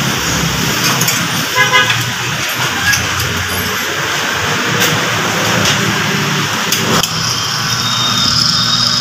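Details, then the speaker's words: Mitsubishi L300 Euro 4 alternator, removed and spun on a test bench after owner complained of noise: loud steady scraping rasp with a thin high whine, a worn bearing. "guys maingay Yan Ayan sir niy para may kumakaskas yan"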